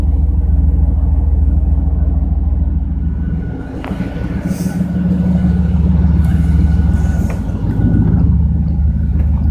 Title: High Idle